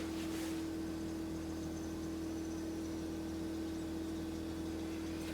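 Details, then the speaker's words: Whirlpool upright freezer running: steady hum with a fast, uneven buzzing rattle that sounds like compressor vibration but is actually a loose evaporator fan blade chattering against its shroud. "it sounds like the compressor is vibrating and in reality i've got something i want to show"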